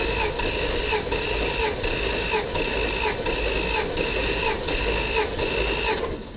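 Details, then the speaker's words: Auction Chevrolet Tahoe V8 cranking during a compression test with all spark plugs out and the gauge screwed in, so the starter spins freely with no load: fast, even whirr with a steady pulse and no catches. Normal cranking; readings were about 175–195. "the other thing is all the plugs out there's no load on the starter so it's pretty much just free spinning the motor"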